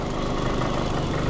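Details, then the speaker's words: Fiat Panda 100hp at idle after gearbox refit: loose, buzzy metallic rattle riding on the firing beat from a broken exhaust heat shield vibrating against its metal guard. "vibrating that metal guard there look that's see heat shield the exhaust is broke so that's what vibrating there"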